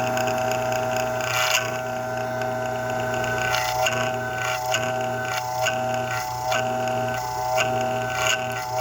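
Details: Freshn Aire fan motor hums steadily with an irregular tick about once a second; owner suspects bad motor bearings.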